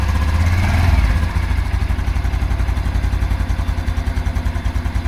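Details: 2022 Honda Super Cub at idle: steady low thudding, about three to four knocks a second, that the owner suspects comes from the clutch plate area; it goes away when revved, returns as rpm settles, and happens hot or cold.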